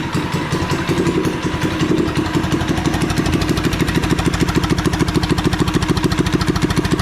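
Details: Revived once-sunk Coleman minibike with swapped 212cc engine and a new crankshaft, first start on fresh oil and gas: quick, even single-cylinder putter at roughly three beats a second with no knock; runs healthy.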